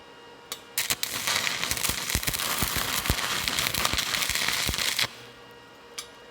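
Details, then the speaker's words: Stick welding with a Hitbox TIG 200 machine, apparently with 308 rod: a steady frying crackle with sharp pops and an evenly sustained arc, which the welder takes as a good weld. "didn't stick on the back but I got over here real good and I could hear that crackling tells me it's good"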